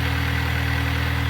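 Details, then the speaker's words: 2020 Mini Cooper S F60, front-wheel drive, B46 turbo engine, just after an oil change with 0W-20, running to check for leaks: low, even idle hum with a smooth, steady beat and no knocks or ticks; normal idle. "start the vehicle and inspect for leaks for leak while it runs"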